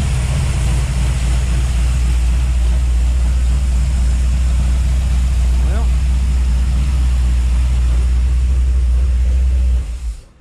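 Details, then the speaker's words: 1955 Chevy V8 with headers at idle, with a light clack about four times a second low on the block. Owner ruled out the rocker arms and is fairly sure it is the used fuel pump pushrod he installed. Fuel pump pushrod clacking. "okay so it's not the rocker arms something down low up here i'm wondering if it's that fuel pump rod because i just used a used one that i had here"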